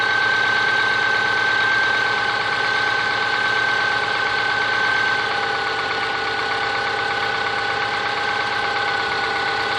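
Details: Subaru Forester SG5 with EJ25 engine: steady idle with even, fairly regular tapping, roughly three to four knocks a second; engine knock, cause unconfirmed.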